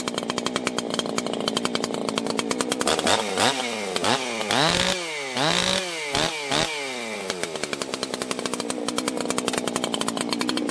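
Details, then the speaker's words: 1980s Husqvarna 281 chainsaw, after fixing a crackly, poppy-up-top ignition issue: fires and revs cleanly up and down the range with no crackle or breakup at the top; normal running. "all right man we've got it warmed up let's uh check our restart here no uh fast idle or anything"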